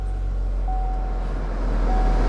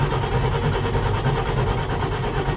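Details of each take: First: Hail-damaged salvage auction car with 58,000 miles showing change-oil-soon: fires right up into an even, steady low idle with no ticks, misses or knocks; goes right into gear. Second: Car at a salvage auction with a manual shifter and choke: sluggish, dragging starter churn with a slow uneven rhythm that never catches, then cuts off; the battery is drained.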